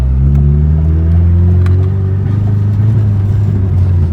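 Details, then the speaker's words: Big-turbo Chevrolet Cobalt SS, misfire with check engine light, choppy under boost; owner suspects spark plugs. Deep droning rev turns choppy and uneven, engine breaking up under load, worse than before; misfire under load, cause unconfirmed. "it just kind of breaks up especially first cube that's always kind of done that but it's definitely breaking up more than it has now"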